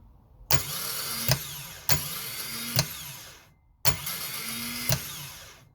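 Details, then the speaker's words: Starter motor from a 2004 Honda Accord Euro R (K20A), bench-tested after a refresh for binding and grinding on cold start: three short clean whirrs without grinding. The starter runs smoothly and normally. "yep so it's nice and smooth"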